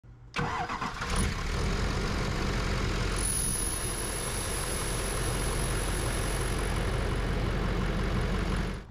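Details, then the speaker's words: 2015 Chevy 2500HD 6.6L LML Duramax with DPF/EGR removed, at idle: thin, steady high whistle over the diesel clatter; turbo whine traced to the exhaust housing side, starting a few thousand miles after head gasket and CP3 work. "As you could hear from the intro, we have a whistle going on, and we are suspecting a turbo whistle on this."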